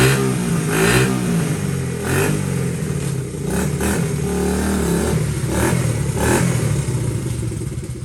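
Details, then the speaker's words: Honda XL70 K0 small single just restored, revving up and dropping back, a bit uneven and hesitant as it blips; cold engine not warmed up yet. "Yep, not warmed up."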